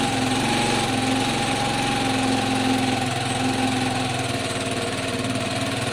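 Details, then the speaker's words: Piaggio Fly 125 scooter after carburetor swap: single-cylinder idles steadily but muffled and slightly uneven, choked rather than crisp; still lacking power, owner suspects valves, belt/crank drag or air box. "it doesn't feel as powerful or any more powerful than it was before when it was at when i took it for mot"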